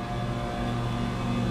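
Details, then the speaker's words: Water-cooled walk-in cooler compressor after the breaker-tripping fault was repaired: low steady hum without stutters, knocks or cut-outs; system staying on, box temperature down to about 48 degrees. "but this is great great news system is staying on everything's looking good"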